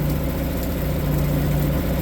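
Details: Suzuki 2.5 HP DF four-stroke outboard that wouldn't start because the oil level sensor tripped at the low limit, oil refilled with proper 10W30: steady, even warm idle with a firm low hum, no misses or rattles; running fine.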